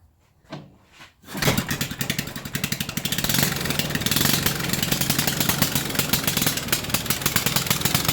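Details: 1974 Briggs & Stratton 8 hp 190402 engine, revived after 10+ years in a yard, needs new carburetor: coughs then fast steady single-cylinder patter at high idle; carburetor hanging up, won't come down to low idle.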